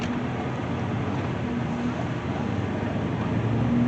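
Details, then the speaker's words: 2016 Kia Sedona on a test drive after front and rear brake replacement, up to a 45 mph limit. Steady road rumble through the stop with no squeal, grinding, pulsing or vibration; normal braking. "speed limit's 45 let's get up there [Music] yeah smooth so far everything's been good I ain't felt any kind of vibration or anything stomping feeling good"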